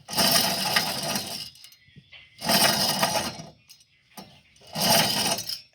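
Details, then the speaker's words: Hyundai Elantra front right wheel bearing, removed and spun by hand three times: dry, gritty rushing whir that fades out; slightly worn but judged to have at least 10,000 miles left. "think it still had at least 10,000 miles left in it."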